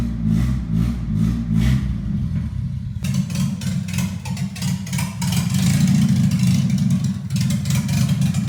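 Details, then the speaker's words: 1980 Toyota pickup rat rod, 20R four-cylinder with open shorty header and no exhaust, first start: loud, catching and revving in bursts with crisp even firing, no knocks or misses, sounds healthy though a bit loud; healthy engine revving. "très bien, elle est sur le point d'emballer le 20R sonne en bonne santé même si vous avez entendu qu'il est un peu bruyant"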